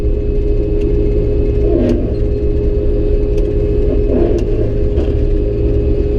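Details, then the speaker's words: Combine harvesting oats with a worn header run close to the ground; steady low engine and machine drone with two brief surging clatters as a balled-up wad of thin crop feeds through without plugging. "on you hear that that went through thankfully so yeah you got to run this head so close to the ground but just every once in a while you get to a spot where it just does that"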